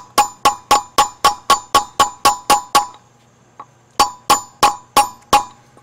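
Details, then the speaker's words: Trailer hub bearing race being driven in with a punch: sharp metallic taps about four a second with a clear ringing tone; the tone changes once the race sits on the hub, and here it isn't seated yet. "you can hear it as it kind of the tone the tone of the tap the tone of the taps kind of changed and again the idea is to get the raise to sit on the hub"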